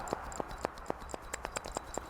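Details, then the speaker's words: Old front wheel bearing removed from a 2007 Toyota Auris, turned by hand: gritty, uneven clicking and scraping with play, a worn rough bearing that was audible in the car only when turning. "There's a bit of play and it's graunchy, but there's definitely play in it."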